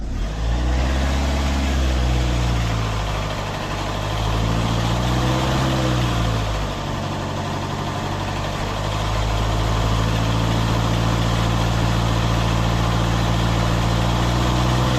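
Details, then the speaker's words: Citroën C8 2.0 HDI diesel after a hydraulic lifter additive test, idling and blipped; steady rhythmic tick about three to four a second persists, slightly changed, jerky; owner suspects a failing rocker/hydraulic lifter, cause unconfirmed. "Le bruit il est là, mais il est un petit peu différent, mais il est toujours là, ça saccade toujours, on entend toujours comme quoi t'as un culbuteur qui part"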